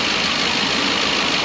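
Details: 2012 Ford E350 van, 170,000 miles, after replacing leaking intake manifold (coolant in cylinder 3–4 plug wells causing misfire) with Dorman part: steady, even idle with no misses, knocks or ticks; runs smoothly.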